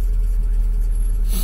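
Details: Lada Largus just after a cold start: short burst of steady, even low idle rumble, no knocks or ticks; oil warning lamp went out, healthy idle.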